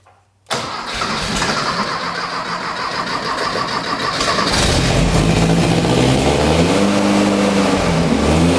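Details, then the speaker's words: Rebuilt 1600cc dual-port VW engine in a custom dune buggy on a shortened 1973 Beetle chassis, first start: brief cranking, rough catch, then uneven revs that settle as it clears a flood; a runner leaking, it runs but idle needs turning up. "we're getting fuel a runner leaking a little bit of something oh I think it's really really flooded now"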